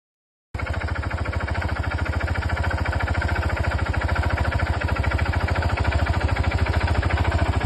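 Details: DRZ 400 single-cylinder, rebuilt by a mechanic (top end, perhaps bottom end too), idling with a sharp, even tick-knock about three per second. The mechanic called it normal, but the owner doubts it; crank play or piston slap suspected.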